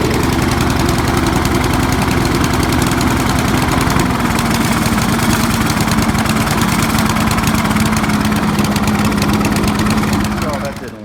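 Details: 20-year-old Honda HRB215 mower with air filter on and original carburetor cleaned: loud, steady engine with a slightly lumpy, uneven beat as if still on choke. Running rich; a carb swap later fixed it.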